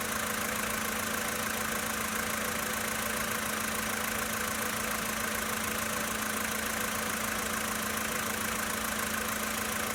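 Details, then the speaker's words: 2013 VW Polo Sedan Sochi Edition, 65,000 km, cold start idle: steady light ticking knock about three or four a second over an even engine hum; engine knock when cold, cause uncertain. "Запись стуков двигателя на автомобиле Volkswagen Polo Sedan Sochi Edition 2013 года. Пробег 65 тысяч километров."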